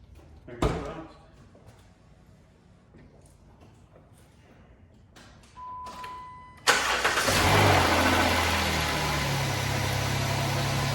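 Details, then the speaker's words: 2011 Jeep Wrangler 3.8 V6 with P0301-P0306 misfire codes, first start after plug wires rerouted: starter cranks, engine catches into a steady, even idle with no stumble; no more misfire. "that sounds pretty good so far no more [Music] misfire everything's back in its looms"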